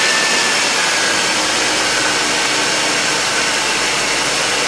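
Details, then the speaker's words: 2006 Ford Taurus 3.0L V6 after idler pulley replacement: steady, even engine-bay hiss and whir with no chirp or squeak. The old pulley's squeak and in-and-out wobble are gone, and the belt drive runs normally. "so the squeaking is gone and as you can see here if I can get my camera dis M there's the new idler P right there"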